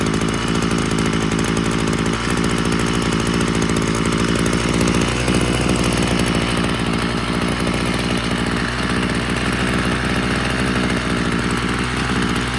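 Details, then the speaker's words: Ryobi CS26 two-stroke trimmer, stalling and bogging complaint, half choke after priming: uneven stumbling buzz at idle, choppy though better than before; rough idle, owner thinks it flooded. "it is idle seems good though it's choppy though the idol is actually running better than in the past"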